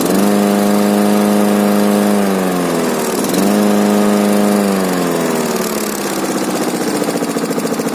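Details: K800 diesel after repair: a big diesel pulls a steady, even drone, then dips and recovers cleanly on the throttle with no knocks or misses; it sounds healthy.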